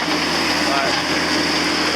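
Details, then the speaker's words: John Deere CT332 compact track loader after maintenance and tightening loose bolts that had caused a rattle: smooth, even hum with no knocks or grinding; running healthy. "Sounds good. It was getting quite a rattle to it because of those loose bolts. But other than that, I think she's good for another another 150 hours or so before I change the oil or 200 hours."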